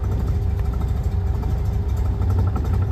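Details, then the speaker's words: Classic car with AccuSpark BlackBox 3 programmable ignition and MultiSpark, vacuum advance setting raised at tickover: a low, uneven idle that lumps and stumbles, about to choke and stall; reducing the setting smooths it. "immediately it's going to it's going to choke and stall just reduce it again"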